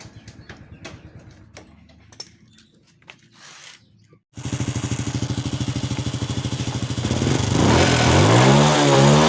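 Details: Honda Wave 100 after carburetor cleaning, replacing the clogged fuel filter that caused hard starting, poor acceleration and stalling, and replacing the air filter: engine fires and settles into a steady, even idle, then revs up cleanly; fuel now flows normally, running normally.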